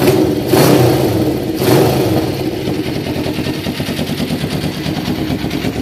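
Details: 1993 Kawasaki Vulcan EN500 bobber, reed/air suction valve removed, carburettors newly installed and synchronised, fuel-air mixture not yet tuned: two quick throttle blips, then the twin settles to a steady, even idle with no knocks or misses. It runs normally.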